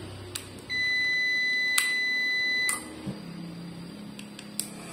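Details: Prolink UPS that had been dead after long disuse: one clear high beep of about two seconds, then a quiet hum; normal UPS power-on beep.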